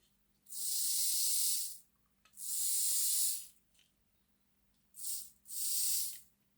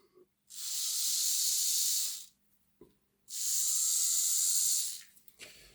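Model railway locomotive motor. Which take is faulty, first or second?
second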